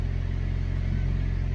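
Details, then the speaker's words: Older car that sat a while, fuel pump suspected of not holding pressure and sometimes making weird noises when cranking: idles clean with a steady smooth hum, no pump whine or buzz this time. "that's what makes us think okay we're having a fuel pump issue but it didn't make the weird noise this time it fired it"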